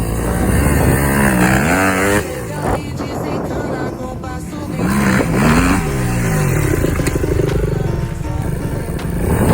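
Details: Honda CRF270 after rebuild: single-cylinder engine picks up cleanly through several rising and falling revs with a crisp, even exhaust note; sounds healthy.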